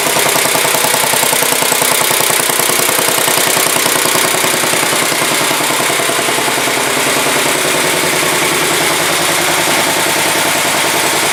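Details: 1967 Sears Suburban 10 tractor idling on its first start after repairs: even steady chuffing of about three and a half beats a second with a crisp exhaust bark, idling smoothly; low battery voltage is later traced to how it is used.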